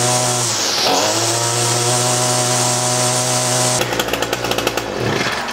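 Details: Echo SRM-225 two-stroke trimmer after hidden jet adjustment, diaphragm replacement and air filter replacement, on fresh fuel: revs cleanly, drops and picks back up smoothly, then holds steady while cutting grass; runs evenly and healthy.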